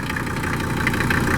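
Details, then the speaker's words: 1979/80 Mercedes-Benz 300 SD scrapyard diesel, first run after long sitting, idling fairly smooth without missing but with a steady light knock over the clatter; owner suspects sticking injectors; heavy vibration, possibly bad engine mounts. "A little knocky sounding. I'm sure we got some injectors that are sticking."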